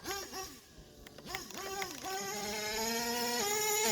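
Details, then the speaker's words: HPI Savage nitro monster truck, two-speed transmission tested after repair. High buzzing engine revs, pitch drops sharply at the shift then climbs steadily; shifts neither too high nor too low, normal two-speed shifting; owner plans leaning top end slightly. "And it seems to be shifting fairly, it doesn't seem to be super high or super low that it's shifting. Kind of shifting, it winds out a bit and then shifts. That's about where you want it."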